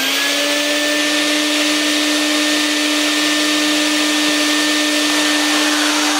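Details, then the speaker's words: Used Vax 121 carpet washer on Power Plus setting, seal underneath flat and ruined, recovery bucket worn: steady high motor whine with airy hiss; cleaning/suction performance beyond terrible, cause not confirmed. "that is beyond terrible"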